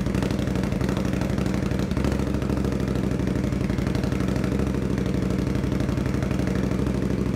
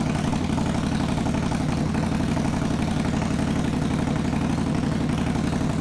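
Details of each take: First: 2021 Indian Scout Bobber Twenty with Vance & Hines Twin Slash slip-ons, after a budget fix adding baffle material: an even, loping V-twin idle with a steady throb. The harsh loud edge is gone, so it sounds quieter; normal idle. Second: 2021 Indian Scout Bobber Twenty with Vance & Hines Twin Slash slip-ons, baffles removed (straight piped): loud, raw, lumpy idle with a hard uneven thump about three beats a second; very loud exhaust.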